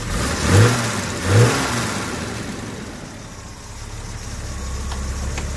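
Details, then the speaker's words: Late Series 1 Daimler 4.2-litre, new electronic ignition, first start after sitting 2–3 weeks, choke just off, idle about 750 rpm: two crisp throttle blips rising and falling cleanly, then settled even idle; healthy free rev. "Oh yeah, she's running fabulously now. Absolutely fabulous."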